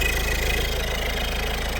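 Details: Peugeot 1.6 HDi (BHY) diesel after thermostat housing replacement fixing P2669/P2670 no-start, warming up to bleed coolant: steady low diesel clatter, even idle, no misses or surging; normal idle.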